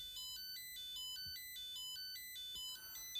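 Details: Nickel strip spot welder beeping continuously in a repeating multi-tone pattern, about twice a second, with no message on the OLED; its cell measures 2.7 V. Owner suspects deliberate over-discharge protection, unconfirmed.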